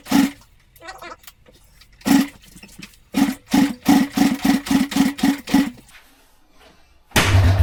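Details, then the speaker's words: Honda S65 on its first kick-start attempt with fresh fuel and a confirmed spark: puffs about three a second, then massive backfires. Owner suspects carb flooding or ignition timing 180 degrees out and leans toward timing; not confirmed. "Right, well, she weren't happy. Couple of massive backfires. So it's either the carb is just flooding straight into the cylinder, so I've taken the carb off, or the ignition timing's 180 degrees out."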